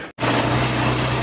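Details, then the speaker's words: Honda Shine motorcycle after a full gearbox replacement (old gearbox found completely broken): smooth, even single-cylinder hum at steady pitch with no knocks or gear whine; all gears working, running normally at idle. "एकदम [संगीत] बढ़िया से गाड़ी गाड़ी में कोई दिक्कत नहीं है बढ़िया चल रही है"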